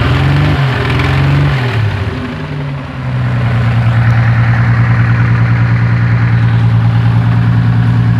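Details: Toyota Supra with a new 7M-GE naturally aspirated inline-six, driven twice, idling and briefly revving with a regular knock over the engine drone; sounds like under the valve cover, owner questions rod knock, unconfirmed.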